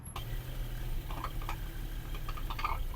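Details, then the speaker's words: Mercedes-Benz on test drive: irregular dull clunks through low road rumble, vibration from the prop shaft traced to a worn transfer case, which is replaced. "You hear that clunking sound? That's why this car has been booked in today and that's the symptoms the customer that's the customer complaint."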